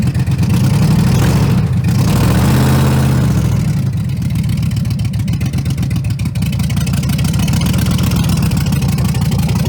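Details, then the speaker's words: 2011 Ram 1500 on its first start after clearing the security light: deep, lumpy engine note with uneven pulses and a wavering idle. It runs and drives but sounds awful; rough running, cause unclear. "Sounds completely awful, but it does run and drive."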